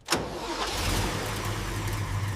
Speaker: Moment of truth, the heart returns. She's finally running smooth.